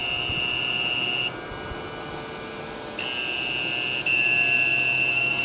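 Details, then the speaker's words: Power inverter running a fan on slower speed off a weak restored lead-acid battery sitting just under 10 volts; a high, piercing electronic tone sounds in bursts over a low hum as the battery puts out little. Inverter low-voltage alarm. "You can hear the inverter running and the alarm running on the inverter because the battery is really not putting out a whole hell of a lot."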